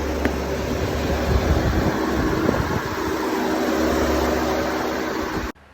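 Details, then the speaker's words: Audi A4/A5 idling with AC on high after replacing the AC pressure/compressor sensor: steady engine hum with faint even whir from engaged compressor, no grinding or squeal; compressor working normally, sensor fault fixed. "i'll also go out to check the compressor that it's working fine because now you can hear the sound of the compressor"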